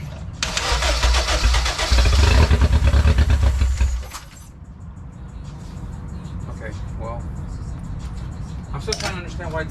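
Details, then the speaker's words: K20-swapped Honda EF sedan after MAP sensor wire repair: cranks about three turns a second for four seconds with no firing, then stops. "so guys I've been spending a good minute trying to dig this car and trying to figure out why the car won't turn on"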